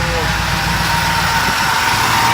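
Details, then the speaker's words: 2005 Ford Explorer 4.6L V8 at idle with a big exhaust leak: thin high whirring ring and rough chatter from the front, easily mistaken for timing-chain slap on broken guides; the cause is worn idler/tensioner pulley bearings. "all right so pretty bad right it's got huge exhaust leak and all that lots of noise up front here and you really can't tell which it is"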